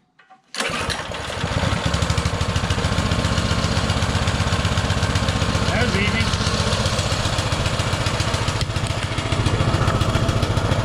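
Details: Baja Motorsports Baja Warrior mini bike with small Japanese-made carburetor, just started: a fast, busy putter that never drops back, idling way too high on choke; the owner fears removing the choke will make it rev higher.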